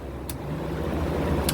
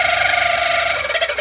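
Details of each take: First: Kenmore Cool N Lite (GE Carry Cool) window AC, after cleaning and oiling fan, on a cold day: steady low hum with even fan rush, no rattles or squeals; compressor and fan running normally, blowing cold air. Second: 1981 Kenmore Cool N Lite (GE Carry Cool) window air conditioner, fan spinning up before oiling: steady wavering squeal, then stuttering as it slows; dry fan motor bearing needs lubricating, bearings not loose.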